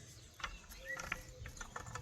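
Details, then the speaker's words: Garden hand tool shaken by hand: uneven clicks and a faint squeak because the wooden handle is loose and rotates; loose tool handle rattle. "so you can hear it, it's a little bit loose. The handle kind of rotates. And that can be fixed, so I'm not going to use that one. You can hear it rattling."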